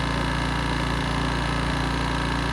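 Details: 1980s Honda EX650 flathead generator, hard starting with strong compression, after choke cable fix, no load yet: smooth constant hum with steady low thrum, no surging or misfire; normal idle.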